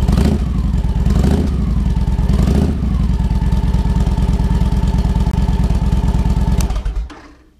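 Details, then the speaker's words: Victory Vegas Jackpot V-twin after fuel pump replacement: two throttle blips, then an even, deep lumpy idle without stumbling before shutoff. Running normally. "Got it slipped in, and sure as shoot, fired right up, acted right, didn't give me a fit, no problems. It's running like a champ. It's just awesome."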